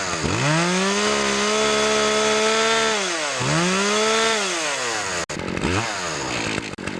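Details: Poulan Pro chainsaw after fixing a clogged air filter and sharpening the chain: revs cleanly to a high screaming pitch, holds steady, drops and revs again crisply; normal running.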